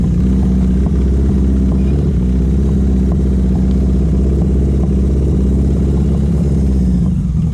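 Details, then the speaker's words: Newly finished Yamaha XJ650 four-cylinder build, not yet run in, with a deep drone and an uneven, lumpy beat at low revs. Owner suspects it is running rich with the idle too high; it runs well above about 4,000 rpm. Rough low-rev running. "and actually runs pretty well um i'm not sure if you can hear it but down low it's got a bit of a misfire not a misfire it's just not running properly i think it's running rich and the idle's too high"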